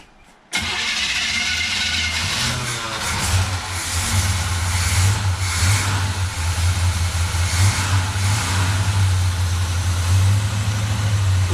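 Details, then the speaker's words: 1957 Chevy Bel Air first start in 30 years, fuel tank installed, radiator refilled; silence then engine catches into rough, uneven, surging idle; hadn't pulled fuel from tank yet, owner suspects bad fuel pump, but it runs. "quiet hasn't pulled fuel yet from the tank may have a bad fuel pump but it runs"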